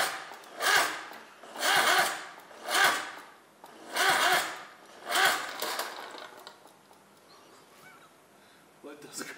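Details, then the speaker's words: Daihatsu midget engine's first crank after rebuild work: slow, heavy, groaning cranking at roughly one turn a second that stops without catching, sounding gurgling as if underwater; suspected leftover water or oil from tilting, not confirmed. "cranks sounds it sounds like it's underwater there's no water in it no but it sounds like it's gurgling I agree it sounds strange"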